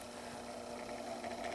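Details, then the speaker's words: Small 6-inch desk fan, model 6HK, no oscillator: quiet run with a thin wavering mid-pitched whine and faint chattering. The bearings are dry and need oil, and the blades may also be unbalanced. "definitely need to oil it as you can hear wow that sounds like crap and I'm not gonna put that into my desk at work because that is just gonna drive me nuts"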